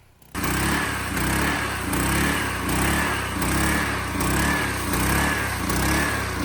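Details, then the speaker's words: Sweeper small single-cylinder engine after new carburetor replaced a cleaned one that wouldn't start: loud even chug at steady speed, regular pulse, no misses; normal running. "Oh, it's working. Like you can hear here, it's completely dialed in."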